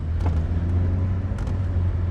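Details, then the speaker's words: Boosted 2000 RS Cosworth replica, first drive after forged engine rebuild: two sharp knocks over road rumble after a jerky moment; passenger-side vibration, owner suspects a loose lower front wishbone needing tightening. "Yeah, it's got a vibration on the passenger side. I heard the knock just now. And I think it's for um lower spawn."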